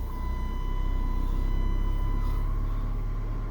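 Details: 2003 Chrysler PT Cruiser, 147,000 miles, cold start after sitting several days in the cold following repair: steady low idle thrum with even pulse and faint high whine; started and idles evenly, though cranking suggested a possibly weak 550-cranking-amp battery.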